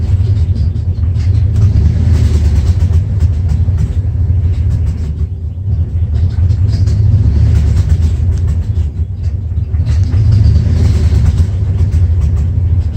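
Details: 1994 Dodge Ram 5.9L V8 with codes 37 and 51, backfiring: deep, lumpy idle surging and stumbling unevenly; cause was a failed crankshaft position sensor, replaced and back to normal.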